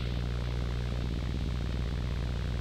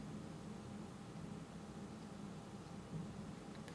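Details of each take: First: Rode NTG USB-powered microphone with analog output, powered from USB-C charger: steady low electrical hum, buzz and faint crackle in the signal; USB-C at higher amps suspected of bringing more noise. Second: Rode NTG microphone powered over USB-C with analog output through a ground loop isolator: low steady hush with faint hum, hissing/electronic noise drastically reduced versus without the isolator.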